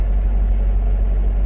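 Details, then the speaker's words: Ford Ranger brought in for not running right, started for a first listen. Low, uneven, rough idle with an irregular stumble in the firing beat, one cylinder dropping out. Definite misfire, cause not yet diagnosed. "So let's start it up and see what we got. Oh, it's definitely got a misfire. It's definitely skipping."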